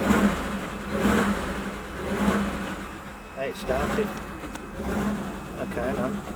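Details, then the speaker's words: 1941 pickup with a no-start after mild weather and heavy overnight rain soaked the engine; after blowing it off with air and heating the distributor, the probably flooded engine catches, revs swelling and falling, then runs, steam coming off the manifold. "okay that's good it's running can you see all the stains coming off can you see all the steam coming up"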